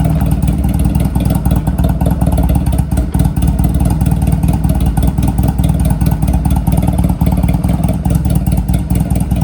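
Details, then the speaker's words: Honda Rebel 250 motorcycle on its first start after sitting about 27 years; choke fully up, in neutral, idling on a fast choke idle with a smooth, even beat and no knocks or rattles. Runs healthy with no engine noise, and the oil was checked. "Right now I have it, the choke, it's all the way up. We're in neutral, got the power. It actually doesn't sound that bad. It sounds really healthy."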